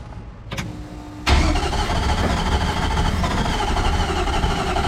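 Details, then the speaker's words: Drift car engine after a rebuild, cranking unevenly then catching with a ragged, stumbling sputter that never settles: misfire. Only cylinders 3 and 4, the ones that read low on compression, are firing; cause not confirmed. "all right so the weirdest stuff's going on so you could hear it sputter a bit there so this was the cylinder that read low on the compression and so was this one"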